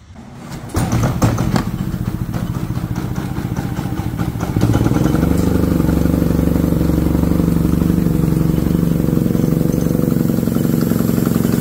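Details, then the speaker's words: Harbor Freight Predator generator: starts then settles into a low, labouring chug that never picks up, choking out with little power; whistle-like air noise from exhaust at shutdown; cause is a clogged spark arrester blocking the exhaust. "so you can hear how it's choking out and if you listen really closely when i turn the machine off listen not sure if the camera picked that up but you can hear it almost sounds like an air or whistle kind of noise coming out of the exhaust"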